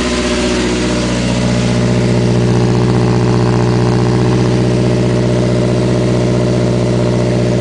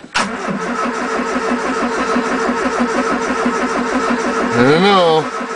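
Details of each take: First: 1980 Triumph Spitfire 1500 cold-day start, fitted with a carburetor that replaced a poorly running Stromberg; steady, even four-cylinder idle with smooth low hum and no misses or stumbles, normal idle. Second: 1980 Triumph Spitfire 1500, Weber two-barrel carb, freezing cold start: steady starter churning, about three compression beats a second, for several seconds without catching; battery sounds close to giving up.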